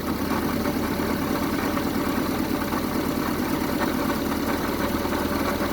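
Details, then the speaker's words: 1974 Honda Civic series 1 Mk1 engine runs rough after new spark plugs: steady idle with a ragged, uneven beat and occasional stumbles, one cylinder not pulling its weight; misfire persists, compression check planned, cause unconfirmed. "Well, it's running, but it's not running at its best. Let me check. It's running, but not the best right now, so most likely I'll have to check the compression on this engine as well to make sure it's good."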